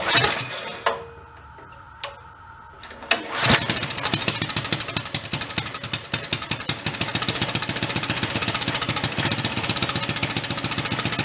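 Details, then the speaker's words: 1965 Chevy Monza go-kart with a bigger swapped-in engine, cold start on choke with a little throttle: single-cylinder catches into a fast, uneven popping idle that stumbles and hunts; idle is rough while cold. "cold start here's some choke a little bit of throttle turn it on try to let it warm up a little that's the problem with the idle you know he you said it good for later but when it's cold"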